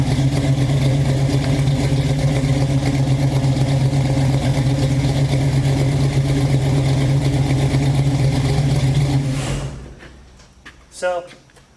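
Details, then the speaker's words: Chevy Nova fuel-injected V8, after the lifters were fixed: steady, even rumble with no valvetrain tick and good oil pressure. The faint rhythmic puff is exhaust leaks at the collector. Runs healthy. "car runs pretty good actually runs very well um it's very healthy has good oil pressure doesn't have any kind of lifter take anymore"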